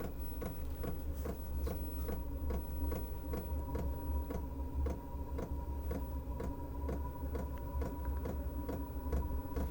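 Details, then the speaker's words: Diesel air heater for home heating at startup, set to 35 degrees, about 50 decibels: sharp even fuel pump ticks about twice a second over low fan hum, fast because it is starting; normal. "siamo a 50 decibel che non sono pochissimi e questo rumore questo ticchettio Per adesso è veloce perché si sta avviando"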